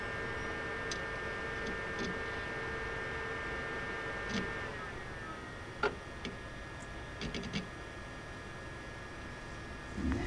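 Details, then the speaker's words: Desktop computer, side panel open, microphone right next to the case, switched on and booting Windows: very soft airy fan hum with a thin steady tone and a few stray clicks; quiet, normal running. "I'll turn this on and you can actually hear how quiet this computer is"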